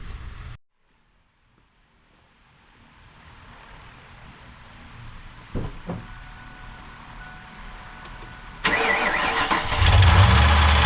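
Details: 2005 Lincoln Aviator V8 bought with a knock: cranks, catches and idles with steady quick top-end tapping from the passenger side; failed lash adjuster (lifter tick).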